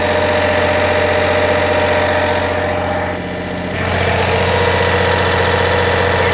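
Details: MEP 1040 surplus military diesel generator, bought as non-running parts unit, under load: steady diesel thrum holding speed, only brief dip, no knocks or misses, a little smoke expected; normal running under load.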